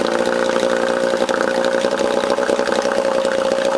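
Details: Johnson 4 HP outboard after rebuild, with a see-through fuel line fitted, in neutral; holds a steady buzzing idle with an even beat and no misses or knocking, running properly.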